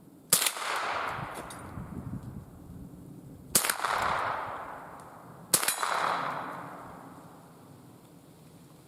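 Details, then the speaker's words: Remington 552 Speedmaster BDL .22 rifle with light rust on barrel and magazine tube, test-fired outdoors at a range on a cold frosty day before servicing; three sharp cracks a few seconds apart, cycling and firing smoothly without a hitch. "all right seems to be working without a hitch smooth operation you know these 552 have always been very reliable if you keep them clean they're going to shoot"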